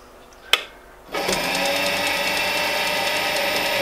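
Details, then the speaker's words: New Charnwood W824P midi lathe after replacing its faulty control module (motor had slowed under load, stuck below 300 rpm, then died); started at lowest speed setting, click then steady, even whir, no knocks or surging; normal running at low speed. "I'm gonna turn that down to its lowest setting start it off"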